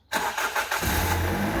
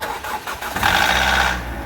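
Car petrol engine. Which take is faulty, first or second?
second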